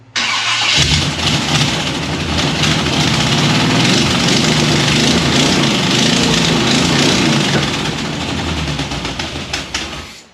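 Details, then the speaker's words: 1957 Chevy Bel Air convertible, 400 V8 with HEI ignition, headers, aluminum intake, Edelbrock carb, first start: lumpy uneven idle with fast clacking tick from leaking headers, sounds missing on one cylinder; needs tuning and timing; misfire with exhaust ticking. "runs uh obviously it needs some tuning and timing and uh oh a little bit everything it definitely sounds like it's missing on one which is shocking with all this fancy ignition stuff i have"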